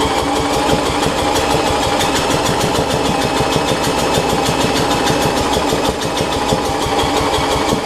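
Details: Murray rear-engine rider with transaxle dated January 1992, with new battery: fast chuffing as the engine cranks and tries to catch but never settles running; ran the day before.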